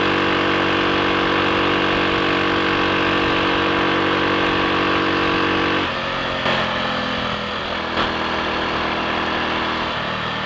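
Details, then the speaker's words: Triumph Sports Cub single cylinder on a ride after fuel tank cleaned of rust and protruding-electrode spark plug fitted: steady even beat about four firings a second, no misfire or cutting out; slight hesitation at half to three-quarter throttle, suspected crud on carb needle. "It's working. There we are. That didn't miss a beat."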